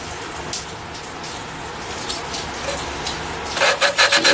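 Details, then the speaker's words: Valve lapping during a 460 engine rebuild: gritty back-and-forth rasping as a valve is twisted on its seat with lapping compound cutting, sound getting smoother as the surfaces are resurfaced. "You can hear this stuff really grinding and cutting. You just do it like that, and you can hear it getting smoother."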